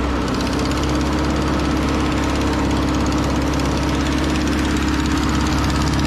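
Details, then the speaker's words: Over-80-year-old Ford 9N tractor running pretty decent after its first revival: a steady low idle with a raspy puffing chuff on each beat from an exhaust leak; otherwise quiet. Antifreeze smell makes the owner suspect a head gasket. "tell you what if it wasn't for the exhaust leak this thing would sound nice really quiet"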